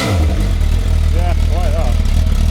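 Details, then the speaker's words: Stock MV Agusta sportbike: strong deep engine note rising and falling smoothly with the throttle, no knocks or rattles; normal revving, sounds good. "what size engine is that stock they [Music] stock hey sound good"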